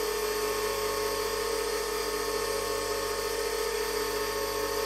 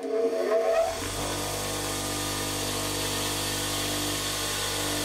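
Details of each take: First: 8-inch/200mm bench grinder with wire wheel, test run after noting Pringle-shaped centre ring and dented plastic bushes; even steady hum, constant pitch, no wobble or knock — runs beautifully. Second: 8-inch/200mm bench grinder with added wire wheel, before modification: motor whir with faint shaking rhythm then spin-down; owner believes the badly clamped, out-of-balance wire wheel causes the wobbling, visible run-out.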